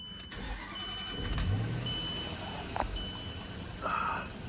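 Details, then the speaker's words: 2006 Range Rover L322 after refitting a missing gas cap and restarting, now indoors and slightly warmer: it catches and holds a fairly steady idle, less hunting than on the cold start. Normal idle. "better. less hunty on the idle. We'll see how long that lasts."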